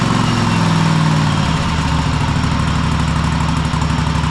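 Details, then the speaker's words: Cub Cadet Super LT1554 lawn tractor, 27 hp Kohler V-twin, 500+ hours, after head gasket replacement: steady, even drone with regular pulse after throttle cable adjustment; much better, may come up more. "Well, that's a lot better. Um it probably can come up some more, but we'll test it with that for now."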